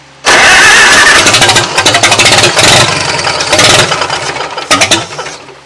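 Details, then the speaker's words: 1940 Farmall H tractor, first start in at least eight years on a temporary fuel tank, choked: engine fires in ragged, uneven bursts, stumbling and surging. The carburetor float is sticking, so the owner shuts the gas off, saying it probably flooded badly. "boy the float stuck on this one too i'm gonna shut the gas off she probably flooded like crazy"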